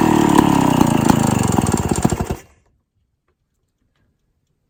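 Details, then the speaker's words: Classic Victa 18 two-stroke lawn mower, first start after purchase, primed, throttle about half, fuel tap leaking: steady high crisp even firing buzz for two seconds, then shuts off; normal running, started on second pull. "was interesting it started on the second pool very happy with that idea"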